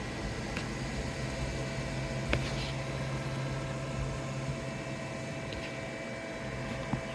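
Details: AllPowers S2000 solar generator after being run to the absolute max: a quiet, low cooling fan hum slows down in small steps as the unit cools, then fades out with a few light clicks; normal fan run-down.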